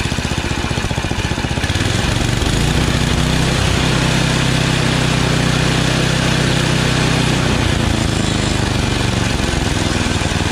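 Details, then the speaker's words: Yard Machines 8 hp Tecumseh snowblower after carburetor 632334A replacement and new fuel line, idle screw raised slightly: steady even single-cylinder beat at full throttle, no surging or hunting, now primes; running right. "new carburetor i just over the idle a little bit through the idle screw here as you can see it doesn't surge anymore it now primes with the primer button full throttle no sir"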